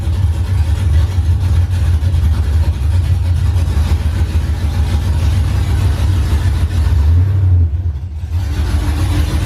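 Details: OBS truck V8 on open headers after the owner sorted out issues: loud, deep rumble settling into a steady, even idle with no stumble or stall; finally running and idling as it should.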